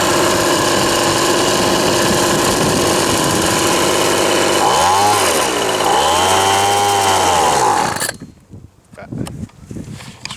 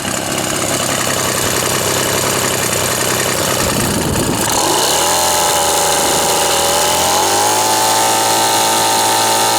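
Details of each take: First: Old Ryobi RSV 3100e two-stroke leaf blower, running after three spark plug changes, carb adjustment and four carb membrane changes. Buzzes unevenly, surges and cuts out: rough running and stalling; owner unsure whether flooded or mis-adjusted. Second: Old Ryobi RSV 3100E leaf blower finally starts after three spark plug changes, a carburettor adjustment and four carburettor diaphragm changes: rough pulls and sputter, then a steady, even buzzing idle.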